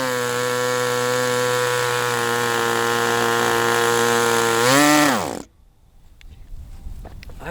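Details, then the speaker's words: Sport 40-size model glow engine on break-in runs; air bleed screw possibly not set. Steady high-pitched buzz at constant speed swells briefly, then cuts off cleanly; normal running. "All I know is it's running really well things like at times."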